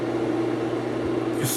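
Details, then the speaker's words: Vintage Kodak Brownie 500 A5 movie projector No 225 on mains power, motor switched on in still mode; the fan blows air; steady low hum and even mid-pitched fan whir, no knocking or scraping, small click near the end; motor and fan normal. "you see back the air making the curtain wave, let me turn the motor off. The wave stops. Turn it on. You can see the fans blowing."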